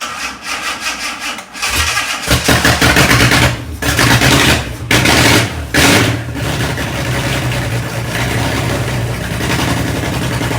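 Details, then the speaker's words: Fake Aston Martin replica kit car, first start after cleaning gummed carb linkages, brief run with no cooling set up: cranks a couple of seconds, catches with a deep roar, throttle blips, settles into a strong even run; sounds all right. "After all of that messing around, it runs, and for the brief moment, it sounded all right."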